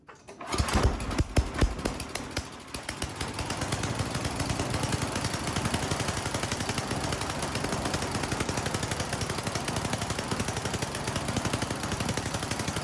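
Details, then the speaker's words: Troy-Bilt snowblower single-cylinder engine with a brand new carburetor being tuned: high-end screw leaned out makes it stumble and pop, then backed out until too rich and brought back in, settling into steadier fast chuffing; carburetor mixture adjustment. "I did the high end first. I leaned it out and it really started running bad. So I backed it back out and I kept backing it out until it actually ran too rich. And then I went back in again."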